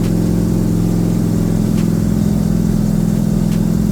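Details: Rebuilt Corvette engine on its first start after valves stuck open from rocker preload were fixed by backing rockers off 3/4 turn: loud low rumble with uneven, lumpy pulses and stumbles; rough running, cause unknown, more fuel suspected.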